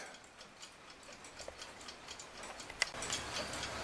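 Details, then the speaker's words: Rusty Forestville alarm clock, oiled, with the stuck back finally removed: light, even ticking at about three to four beats a second in a quiet room. The movement ticks right away and runs normally. "and this thing's ticking right away so if you don't mind how we'll say bad it looks it's going to be a good clock again"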